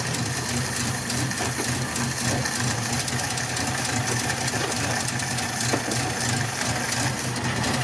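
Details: Mk1 Ford Cortina, original 1200 engine and gearbox, slight diaphragm leak, revived project car: steady even engine note with no knocks or misses; it runs normally.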